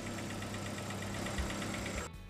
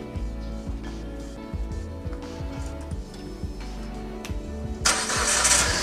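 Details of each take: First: Proton Saga BLM (CamPro engine) after replacing the faulty tensioner bearing and belt: a petrol engine idles smoothly and evenly, with the earlier rattle from the belt drive gone. Normal idle after the repair. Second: Proton Saga BLM petrol engine idling: rough rattly ticking about three times a second from a worn fan belt tensioner bearing, with an old belt, before replacement.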